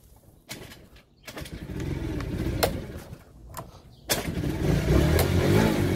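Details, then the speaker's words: TaoTao 50cc Chinese scooter, after carburetor float replacement: fires in uneven sputtering bursts with dropouts, fading, bogs on throttle and won't idle, nearly dies; cause unknown. "see I'm running it won't idle anymore it just bogs down if I really crank the handle it bogs down as well"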